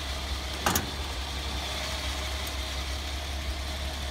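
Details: 1984 Toyota Land Cruiser 45 series 2F petrol engine, which stalls after about two minutes because of a failing ignition coil: steady, even idle with a brief early clatter, no misses.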